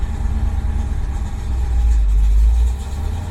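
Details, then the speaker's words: Engine with ACES EFI Killshot that had cold-start problems, after raising fuel power-on to 150% and fuel prime to 225%, cold start after 3–4 days sitting: starts quicker, swells briefly then settles to an even idle without dying; fixed. "Oh, and it stays running. Alright, apparently it's not going to die, so this is a good thing."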